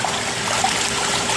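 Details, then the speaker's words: Jacuzzi J 480 hot tub with jets running: the diverter switch that directs water pressure is leaking water, and a service visit is booked. Steady watery trickle and splash over the jet pump's hiss, water escaping past the diverter valve. "So you have these two switches over here that you can choose to put all the water pressure here, or you can see that my switch is leaking water."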